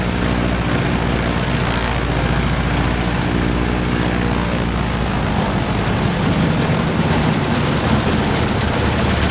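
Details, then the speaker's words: Stinson L-1 radial engine with duplex magneto, after an overhauled magneto was fitted to cure a dead left mag, started right up and runs with a deep, steady, even drone, no misses or stumbles; normal running. "that's finally good news started right up good"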